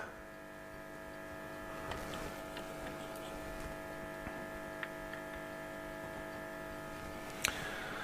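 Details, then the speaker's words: Hacker Sovereign 2 RP25A valve radio under repair, not picking up stations: steady low mains hum from the speaker with no RF reception while voltage at a capacitor drops. "so we're getting the humming coming through again so can you hear that hum certainly getting no rf at all"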